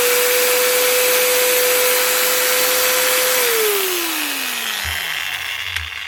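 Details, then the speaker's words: Repaired angle grinder after two new bearings, fresh gearhead grease and washers: initial struggle as grease spreads, then speed picks up to a steady high whine and winds down smoothly with no grinding; healthy. "you can hear that initial struggle as it tries to get the grease moved around the head once it's warmed up moved into position you can hear the speed picking up"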